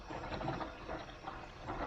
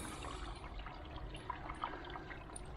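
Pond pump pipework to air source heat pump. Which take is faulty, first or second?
first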